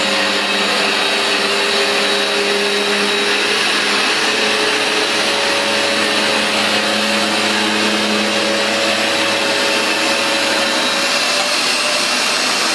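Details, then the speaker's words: New replacement Vax Dual Power Total Home carpet washer shampooing then extracting on carpet: steady high-pitched motor whine with strong, even suction rush; normal running. "all I'm going to do is go forward on this piece of carpet while releasing the shampoo by pulling the trigger and then I'm going to pull the machine back slowly with no solution flowing so I can just extract the dirty solution"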